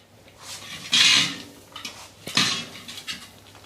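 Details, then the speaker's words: Old Motobécane city bicycle wheel after broken spoke replacement and truing: two sharp crackling bursts as the rim is pressed down, then faint ticks; spokes settling under fresh tension, normal. "j'appuie avec ma force un peu pas pasr entendez on entend craquer un peu des fois ça fait voilà vous vérifiez parce que des fois ça l'a fait bouger"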